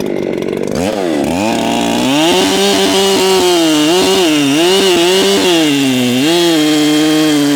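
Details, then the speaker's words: Ported Echo CS7310P chainsaw with 20-inch Sugihara bar at high revs: slight burble breaking the scream, still four-stroking a little as the carburetor is slightly rich; could be leaned out, needs adjusting as it breaks in. "It's still four stroking just a little bit. I could lean it out a little more."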